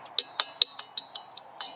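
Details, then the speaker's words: 1964 Impala original steering wheel with the original horn contact spring tension ring: eight crisp, springy clicks about five a second as the ring is pressed, not rattly. Equal tension on both sides, as it should be for the horn to work. "That's pushing that spring ring, tension ring, up and down. That's the way it's supposed to sound and look. Equal tension on both sides so the horn will work."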